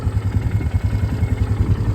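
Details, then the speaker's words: 2008 Polaris Scrambler 500 HO 4x4 ATV, owned a year: quick even single-cylinder thump at idle, no misses, sputter or stumble; owner says it idles all day. Normal idle. "But no, it'll sit here and idle all day. It doesn't care."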